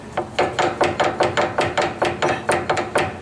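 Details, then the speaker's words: 2011 Ford F250 4x4 with clicking while driving in 4x4, not fixed by new hubs: sharp metallic clunks as the front driveshaft to the transfer case is rocked by hand from underneath. Worn universal joint clunk. "those universal joints appear to be out okay but the one that is the problem happens to be like say the front that's clicking it's very bad"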